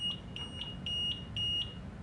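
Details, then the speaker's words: Rascal Conquest mobility scooter, first power-on with key after battery hookup: high repeating electronic beeps with five-flash code meaning neutral (freewheel) is engaged; scooter won't drive in neutral, only push. Check the yellow neutral levers. "But the scooter will not drive while in neutral. This is only if you have to push it. So if you hear that beeping sound, check the neutral levers."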